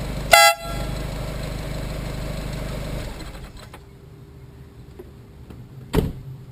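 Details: Normal horn: a replacement eBay "150dB" air horn, tested right after installation on a car, gives one loud, steady two-tone quarter-second blast; louder than the old horn but not as loud as claimed.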